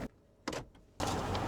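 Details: Toyota 4Runner / Lexus GX 460 started after being parked with the E-brake engaged: a light shifter click, then steady engine noise; shifting out of park with the brake pedal pressed gives no heavy thump.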